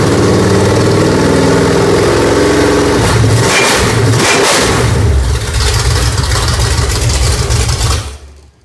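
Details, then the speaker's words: New Pontiac budget stroker crate engine, 6X heads, Performer RPM intake, mild flat tappet cam, camshaft already broken in: loud start settling into steady, even V8 lope, no ticking or knocking before shutoff; healthy idle. "Runs pretty good. It's just a mild build, so we think he'll like it."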